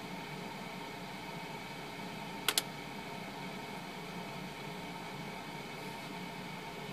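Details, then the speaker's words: 2007 household refrigerator, after its defrost timer was replaced with a SUPCO solid-state timer: quiet steady low hum with a couple of sharp clicks as the compressor runs normally in the cold cycle, so the new timer is working. "it's running so it's now in the cold cycle it's going to come down to temperature but the the timer is doing its job"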